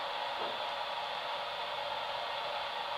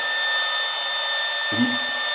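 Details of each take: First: and if you listen to the radio you can hear that it didn't change so I'm going to stay quiet for a few seconds so you can hear it Second: Modified sine wave inverter running from a 12 V car battery, converting 12 V DC to 120 V AC with no load; steady high whistle over radio hiss from electromagnetic interference.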